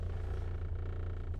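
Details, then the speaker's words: Ford Focus SE warmed up at idle: deep, steady low drone with buzzy rumble and nothing sharper on top that comes and goes; idle vibration, owner suspects loose trim plastic. "Do you hear that sound? Like I don't like that vibration, but it dies down and then that starts vibrating"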